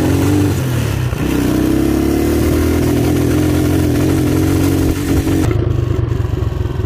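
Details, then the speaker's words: Motorcycle that chokes around 6,000–7,000 rpm and sometimes dies, on road test: engine drones flat, labouring, not revving on throttle, as if carburetor choke were on though choke is in position; bogging, cause not yet found. "el problema es que no se acelera para nada es como si estuviera el ahogador puesto del carburador"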